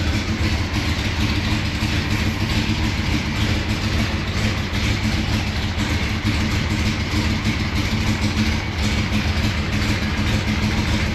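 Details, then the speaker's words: Gen 3 Hemi V8 with Holley Terminator X Max EFI and Hi-Ram manifold in a 1970 Dodge Super Bee, which has misfire and MAP sensor issues. Deep uneven lope; idle picks up when starting fluid is sprayed, confirming a vacuum leak under the driver's side intake. "There's for sure a vacuum leak underneath this driver's side."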